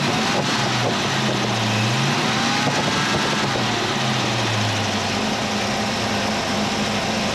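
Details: 351 Cleveland V8 in a 1979 Mercury Capri, idling after the stuck distributor was freed and timing reset (about 10° initial, 32 all in) for hot hard-starting: steady, even idle, smooth settled beat, no misses, knocks or surging; normal idle.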